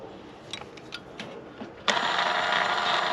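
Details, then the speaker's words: Replacement convertible top motor for a flooded Honda S2000, tested in place: a few faint clicks, then the motor whirs up smooth and even with no grinding, screaming or screeching; the top motor works properly. "nice and quiet no crazy grinding noises no screaming no screeching I think we're going to have a convertible tub that's working"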